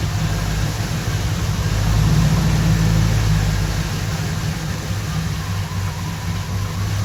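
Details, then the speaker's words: 1976 Oldsmobile Omega (Nova clone) with twin straight-pipe duals, started after coil replacement on a 90° day, not yet warmed up; strong low even idle rumble with gentle lope, no knocks or misses, sounds good for now. "sounds good for now, but then it did before. So, let me let that warm up and we'll go for a test drive."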